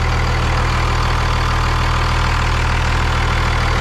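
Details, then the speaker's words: Second-gen Cummins diesel pickup after damage from abuse: fires fast into a loud, deep, even clatter at steady idle, no knocks or misses; engine sounds healthy. "It runs so good. This thing fires up so well. It's surprising how healthy the engine sounds."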